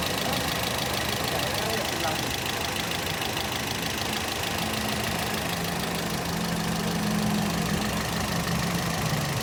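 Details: Toyota GLi at idle with a quick light ticking about two to three times a second on top; loose tappets needing valve clearance setting.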